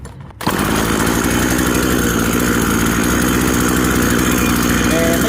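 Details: Model 1700 chainsaw two-stroke just rebuilt with new rings, freshly started after 4-5 pulls, idle set low for break-in; steady buzzing, even idle at low throttle, no misfires or surging; normal idle.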